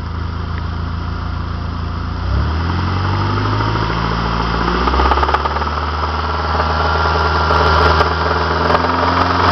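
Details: Saab 9-5 with B235R engine, idling then revved and held above 1500 rpm: sharp rapid knocking over the running note, knocking badly above 1500 rpm.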